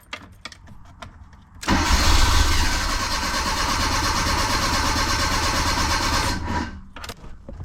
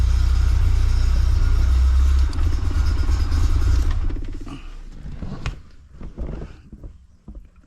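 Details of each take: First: 1984 Bertone X1/9 fuel-injected, no start: nearly five seconds of steady starter cranking at about four beats a second without firing. The fuel pump's pink/black wire is fed through the windshield wiper fuse, which was pulled. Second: 1984 Bertone X1/9 after a no-start traced to the windshield wiper fuse, which also feeds the fuel pump: deep steady rumble of the engine running evenly for a few seconds, then fading; normal run.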